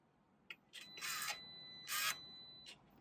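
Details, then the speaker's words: BMW R1200GS Adventure exhaust valve actuator reinstalled with an aftermarket muffler, ignition on, engine off: short whirring bursts and two longer sweeps as the servo runs a clean self-check. Normal. "Let's make sure this works. There you go. One more time. This is the self-check on the valve."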